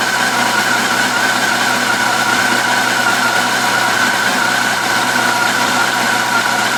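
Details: 2004 Yamaha FJR1300 motorcycle engine at idle: steady even mechanical clatter with a light, fast ticking noise threaded through it.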